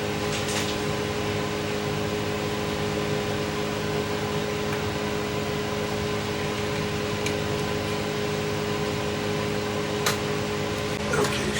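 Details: Sony TC854 4-channel reel-to-reel dropped, with its reel hub pushed in: steady motor hum with a faint, uneven rubbing drone; the owner suspects the hub slipped on its shaft and is rubbing, damage unconfirmed.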